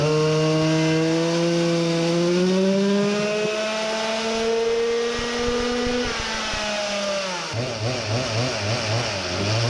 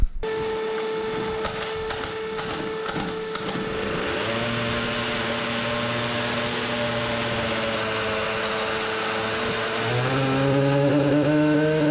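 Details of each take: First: Samurai 40cc two-stroke on dyno after turning head for deeper chamber, lower compression, better-exposed plug: clean rising pulls to 14800rpm, 4.23hp at 14700rpm, then choppy idle; healthy strong engine. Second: Samurai 40cc two-stroke on dyno, exhaust shortened back to original length, at -15C with a cracked chain: rough misfire at high revs; cause found as burnt CDI, narrow PCB copper track overheated from high-rpm current draw.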